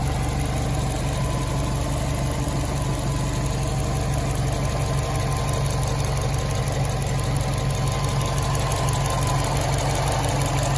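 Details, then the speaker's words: 2006 Subaru STI, stage 4 clutch, Aeromotive AFPR, catch cans, new intake, after fouled spark plugs replaced to cure cylinder 4 misfire: steady boxer idle, low even pulse, no stumble or skipped beats; normal idle. "no roughness in cylinder four no more."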